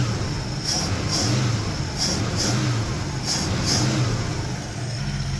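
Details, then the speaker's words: 1973 AMC Gremlin engine after 30 years in a barn, revved to check for blow-by: repeated clean rev blips settling back, strong and even, no misses, knocks or rattles; healthy. "That's just incredible. This thing just really wants to run. I'm absolutely impressed."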